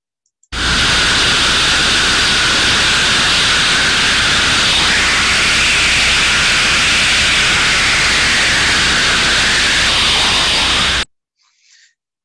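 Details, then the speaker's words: Ultrasound recording of a failed steam trap: constant unbroken rushing hiss, continuous flow with high turbulence, not modulating open and closed; trap failed open, blowing steam through. "Continuous Flow high levels of turbulence that is not modulating not opening and closing it's a bad trap"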